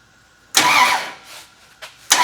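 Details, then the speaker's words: Road trip rescue engine with a regular Mopar starter, bumped slowly on the starter: slow bumps with firm even chuffs each stroke; cylinders now pulling good compression, unlike earlier cranking that sounded wrong. "Whoa! It's got compression now. Yeah, sounds like it. Feels like it."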